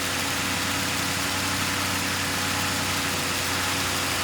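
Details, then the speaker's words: 2005 Ford Crown Victoria Police Interceptor V8, 150,819 miles, suspected bad fuel pump, kept running on fuel poured into the intake: starts right up, steady even idle with smooth low drone, no knocks, misses or ticks; engine sounds good. "All right. Started right up. The engine sounds good."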